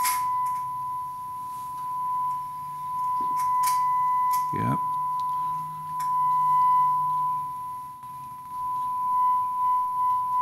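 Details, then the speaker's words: Gallien Krueger 400RB bass amp with steady test tone: scratchy crackles and pops as the treble knob turns; dirty pots needing cleaning. "there we go there's some static there so the boos control would be our first culprit"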